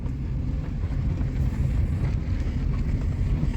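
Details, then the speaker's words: 1998 Suzuki Baleno driven over bumps after a spacer was placed at the bonnet hinge (owner to replace hinge); only low road rumble, no squeaks, creaks or scraping, cabin quiet. "Сейчас на шарнире установлена прокладка. Мы больше не слышим никаких звуков."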